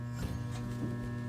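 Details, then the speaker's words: Broan bathroom exhaust fan that's not exhausting properly and fails the toilet paper suction test: steady low electrical buzz with no healthy airflow rush; something's broken, motor not spinning freely; fix is replacing the fan motor assembly. "so you can hear it just kind of make a a buzzing noise it just sounds different cuz something's broken"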